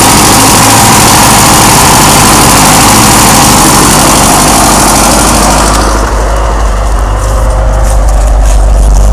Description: My 1987 Starion having a bit of a rough idle.